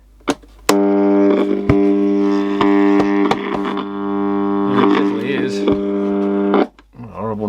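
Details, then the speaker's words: Copal Shahan RD-100 flip clock alarm, no volume control: harsh buzzy drone about six seconds that sounds electromechanical but is an electronic tone distorting in the speaker; distorted alarm tone. "so it sounds like an electromechanical sort of one but it isn't it's just a horrible bit of distortion out of the speaker"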